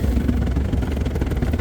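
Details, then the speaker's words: Cornelius nugget ice machine: the agitator motor strains with low, labored churning and uneven thumps as it turns a clumped frozen block of nugget ice in the bin; an ice bin extension kit is the planned fix. "with the nugget ice it just ends up clumping up together, and then it's very hard for the agitator to dispense that. You can see how it's struggling, turning, and then the whole block turns"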